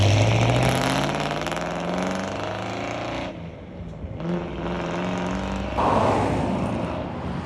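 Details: 1963 Ford Galaxie 500, dual-carb 390 V8 with manual gearbox, test drive after a leaking carb float with a bad solder hole was fixed: pulls through smooth rising revs and settles evenly, no stumble or flat spot under throttle; fuel delivery sounds right.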